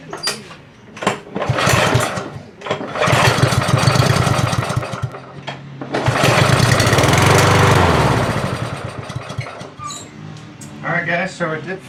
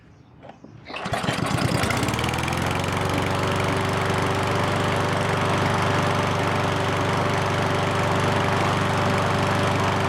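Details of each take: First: Ariens push mower that wouldn't start after long storage; starting fluid sprayed into the carburetor with the choke butterfly held open, it fires in short bursts then dies, showing okay compression and spark, so likely a dirty carburetor clogged by ethanol fuel. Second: Ariens push mower that wouldn't start after long storage, now running after a carburetor clean, with fuel and choke set; after a couple of quick pulls it catches at once and runs steady and even, no surging or stumbling.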